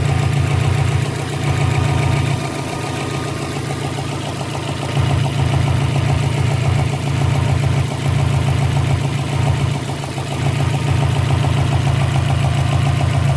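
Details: 2012 Subaru Impreza WRX flat-four at idle: steady low idle with a fairly regular pop about three to four times a second. Idle popping from air leaking past a loose intake manifold.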